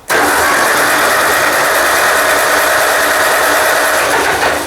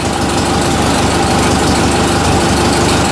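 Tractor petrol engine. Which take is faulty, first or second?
first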